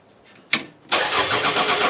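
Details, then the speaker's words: Demolition derby car, quick test after installing the battery: short click, then brisk even cranking with the fuel pump whirring and coming on, a normal healthy turnover. "Turns over. Fuel pump comes on. That's all I need to hear."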